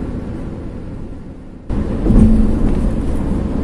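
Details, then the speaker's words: Nissan X-Trail T31 ST 2500 cc on the Trans-Java toll road, about 150 km into the trip: steady low roar swelling over concrete-paved sections; tire drone from concrete road surface, otherwise quiet cabin, not a mechanical fault. "yang lainnya zafir masih aman kabin cukup senyap yang hanya saat melintasi di Hai Jalan materials or beton aja yang kurang nyaman"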